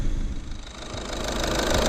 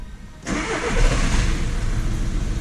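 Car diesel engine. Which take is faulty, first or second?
second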